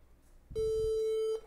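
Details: Newer HP all-in-one desktop (Intel Core, maybe 10th/11th gen) that won't turn on: single steady mid-pitched beep under a second, part of a repeating POST error code; customer replaced the adapter several times.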